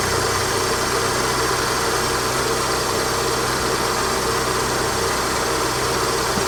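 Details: Vauxhall Astra G after replacing the faulty A/C compressor clutch: smooth, even idle with a steady low hum and no clicks or squeal as the A/C engages. Normal idle with the compressor engaged.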